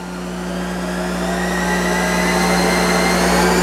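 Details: Monarch 10EE lathe with tube-type DC module drive, warm-up and drive check: smooth, even whine rising steadily as the spindle is slowly ramped up toward 2000, no knocks or grinding; drive and spindle healthy.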